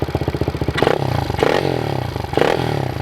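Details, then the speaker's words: Pit bike single running with a fast, light clicking over the firing beat, persisting through short throttle blips, unlike how it sounded after riding in mud days earlier; source unclear; clicking noise. "This thing's all clicking now."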